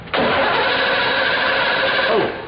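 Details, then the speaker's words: 2006 Hyundai Sonata no-start with distributor, battery 12.3 V, after fixing a bad connection: starter spins briskly and evenly for about two seconds, with strong voltage held at the posts while cranking; cranking is fine. "we've got really good strong voltage while we're spinning it that should be good enough shouldn't it"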